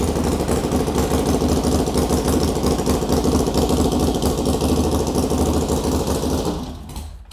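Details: Harley Sportster with S&S Super E carb, first start after rebuild with oil added and valves adjusted: uneven potato-style V-twin thump at steady idle, about two beats a second, then shuts off; oil return confirmed, sounds healthy and settled.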